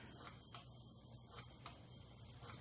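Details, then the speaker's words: 1982 Honda Urban Express with LED turn signals, electronic flasher and load resistor fitted in line with left signal: steady relay clicks about every half second over faint hum; flasher clicking normally again. "Do you hear it working? Probably it'll speed up when I put the light on it again. Because this is an incandescent bulb, not an LED, so it actually puts a significant load on it."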